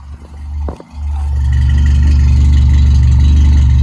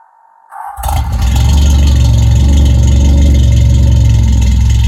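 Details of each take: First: Toyota AE86 (Sr5) on a new FlowMaster exhaust: after a brief start-up stumble, a deep, even exhaust rumble settles into a steady idle with no misses; engine idles cleanly. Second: Toyota AE86 (Sr5) with a new FlowMaster exhaust, cold start after sitting since noon: engine catches after a short crank into a loud, throaty cold idle with a light metallic rattle; owner unsure of rattle source, says nothing's wrong.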